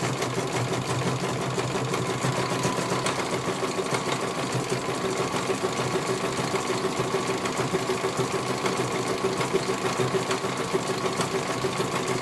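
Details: CNY computerized embroidery machine being serviced, whose dynamo motor earlier would not turn: even, quick needle chatter around three stitches a second, no knocks or grinding; stitching smoothly and healthy, one colour finished, judged very good.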